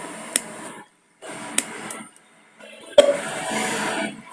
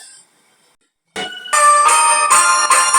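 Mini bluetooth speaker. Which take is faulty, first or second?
first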